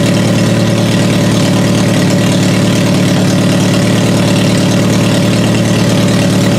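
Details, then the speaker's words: Toyota Solara after swapping the damp coil packs that caused hard starting and misfire: steady, even idle with a smooth low thrum and no misses or knocks; runs much better, normal idle. "So now it runs so much better, and it took a quick swap."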